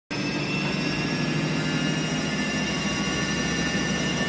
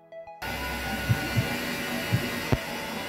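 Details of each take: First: Haier HW60 washing machine drum knocking during spin, a loud steady roar with rough rapid knocking; the owner suspects the drum spider, and the drum bearings were replaced. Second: Haier HW60 washing machine after drum bearing replacement: spin is a steady, even hum and motor whine with no rhythmic knocking; knock on spin is gone.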